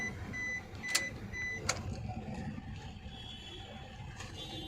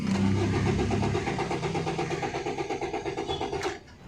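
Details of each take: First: 2011 Maruti Suzuki Swift Dzire diesel after fixing a no-start with blinking immobilizer light, traced to a low 4.5 V supply pin; dash chimes, starts cleanly, steady idle about 900 rpm, no check engine light: normal start and idle. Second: 2011 Maruti Suzuki Swift Dzire diesel (Z13DT) cranks steadily, about three turns per second, but never fires, immobilizer light blinking; crank no start, immobilizer suspected but not yet confirmed bad.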